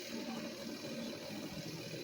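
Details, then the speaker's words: Sharp twin-tub washing machine with a normal timer, spin dryer plugged in and running: steady even whirring rush with no knocks or scraping; spin motor runs smoothly, normal. "Ini colokin pasti langsung muter bagian pengeringnya. Nih. Ini sudah mutar."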